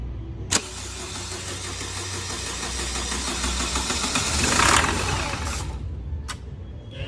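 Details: SsangYong diesel that starts badly hot or cold, filters and low-pressure system already checked, injectors judged good: starter grinds several seconds, rising, before catching; hard start, cause still being diagnosed.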